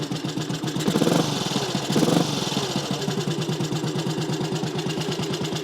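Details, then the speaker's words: Small classic Tiger Cub single, cold, still bedding in after work. A couple of blips, then a crisp, even thump at about nine beats a second; clean cold tickover; normal idle. "but they're a small bike but they do sound good"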